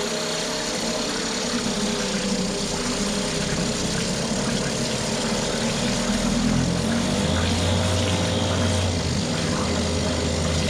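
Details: Mercury 2.5 hp two-stroke outboard after carburetor taken apart, soaked and cleaned, choke partly set; steady even buzz, no misses or surging, a little throatier toward the end: normal running at varied RPMs.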